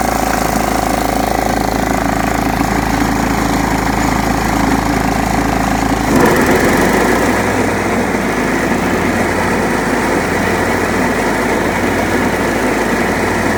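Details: John Deere STX38 mower, apparently parked about nine or ten years, revived with new battery and freed stuck carburetor float: starts, settles to steady even putter, note shifts as deck engages; running normally.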